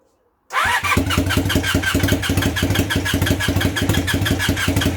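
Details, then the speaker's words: Temporary twin-cylinder motorcycle engine in a project bike, start attempt on a weak, poorly charged battery: slow labouring cranking about three pulses a second with popping as cylinders try to catch, but not running; nearly starting. "and then we might try that again it's making popping noises she's not running though"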